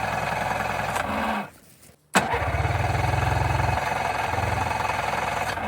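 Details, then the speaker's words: 1991 Yamaha Ovation two-stroke snowmobile, unused about five years, on an above-freezing day: catches and runs roughly a few seconds, stumbles and dies, restarts briefly then cuts out; fuel not flowing enough, electric fuel pump planned. "Even on this beautiful above freezing day, it's still not flowing enough to actually feed this engine to run it."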